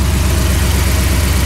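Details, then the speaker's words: Dodge Ram 1500 with swapped 5.7L HEMI on Holley Terminator X EFI: V8 idles with an even, deep throb at 950-1000 rpm instead of the 750 target; vacuum leak from a severely leaking brake booster. "so this brake booster has a severe leak so we're gonna have to order a brake booster but when I let this off you're gonna hear the RPM jump back up because this is pulling air from some sort of seal in there"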